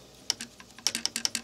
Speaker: I Mark several clicking here so and that clicks there and I'm giving it about the same amount of pressure there's certain ones that have clicking and I can't seem to figure out how to regulate it